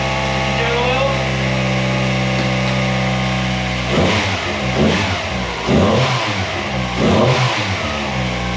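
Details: Honda Civic with swapped-in B16 engine, first start with full exhaust and catalytic converter fitted: steady smooth idle, then four clean throttle blips rising and falling crisply, no knocks or misses; healthy engine.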